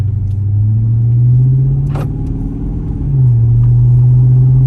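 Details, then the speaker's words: Chrysler 300 V8 straight-piped with X-pipe after adding muffler/resonators to cure drone, cruising at low speed: steady deep exhaust rumble dipping and recovering with throttle, no ear-ringing drone; normal cruising exhaust without drone. "Sounds a little bit chiller. I'm not going to lie. Like way chill."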